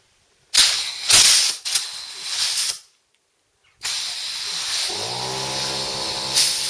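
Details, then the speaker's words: Secondhand air tool missing its valve button, on a small Stanley compressor: sharp hissing bursts then steady rush of air with faint hum underneath; air escaping from open valve port, owner suspects the valve was removed. "I think the air is probably just going to come pouring out of there but we plug it in and we'll see what happens"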